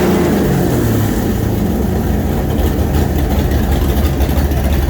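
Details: Newly built 427 Windsor Ford V8, 540 hp, roller cam, carburetted, for a 1965 Cobra, mixture and timing set: deep, lumpy, loud burble at idle and revs with steady firing, no knocks or ticks; fresh engine running cleanly.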